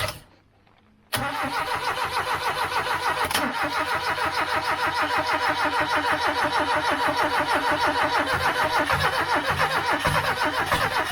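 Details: 1989 Austin Mini 998cc A-series, first run after three years sitting, run without choke. Catches into a lumpy pulsing run, surging and dropping off, with no tapping or knocking. Owner suspects fuel delivery problems.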